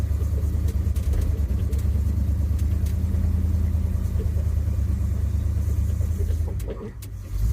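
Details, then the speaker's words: 1976 Ford F-150 Ranger sitting over a year, abandoned for running poorly, first drive up the driveway after new fuel filter: low rumble breaking into uneven surges and sags; stumbling badly under load, cause not yet confirmed. "she's at the bottom of the driveway so she'll make it to the top oh yeah she's stumbling bad"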